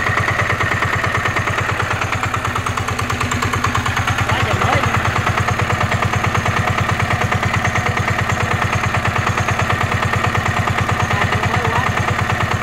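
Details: NF19 single-cylinder diesel, original and unmodified: strong evenly spaced thumps holding steady with no stumbles or rattles; clean, vibration-free running.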